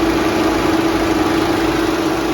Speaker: There you go. Now if you can see that, but both fans are running. They are not vibrating. There it is, the one fan. Another fan.